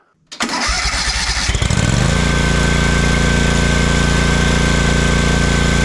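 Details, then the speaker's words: Kawasaki FS541V on an Exmark Vantage S stand-on mower, previously popping, cracking and losing power with blades engaged; after repair with kill wire reconnected, it cranks, catches within a second and settles to a smooth, even idle without popping: runs beautifully. "Runs just beautifully."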